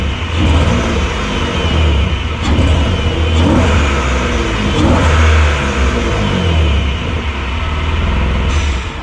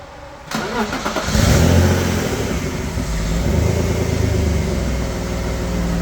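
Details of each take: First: Semi-cold BMW E36 in snow: engine revs under load but pull keeps dipping and stumbling, power cutting in and out, only pulls to about 2,500 rpm, hesitation easing as it warms; misfire fixed by tune-up. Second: BMW E36 after a tune-up with new spark plugs, replacing plugs that were causing no power and a heavy misfire (cylinder six plug the worst): engine catches and revs up smoothly with no hesitation or stumble; normal revving.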